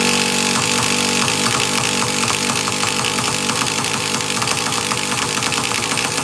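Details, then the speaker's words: Traxxas Nitro Slash nitro engine, being started with the easy start: ragged, uneven popping about three a second that never catches into a run. Plenty of fuel, so not a fuel issue; owner suspects a poor glow plug. "Well, we know fuel's not an issue. Damn. Yeah, it keeps trying to pop, but it just won't"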